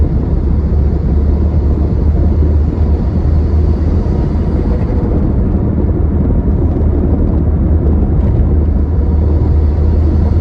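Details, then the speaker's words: Worn passenger-side front wheel bearing on a Ford Escort, heard from inside the car at road speed on a bypass with windows up: a steady low drone under tyre noise, holding pitch. "So the noise is definitely coming from the front now. I can hear it."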